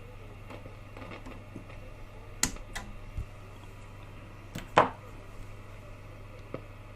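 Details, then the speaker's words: Westinghouse Wide-Fi W516M (AWA Radiola B15) valve radio, previously restored, suddenly crashing; after snipping the 22 pF output-valve plate-to-grid capacitor, irregular sharp pops and crackles over a quiet hum persist. Noise from a dirty valve socket. "I'd say this noise are still there that's been here for a few minutes now it hasn't made the noise it still has a little slight noise in it but that might be just the normal a.m. crackles you get having cut that but the other capacitors here the noise is back so we haven't cured it by cutting that one"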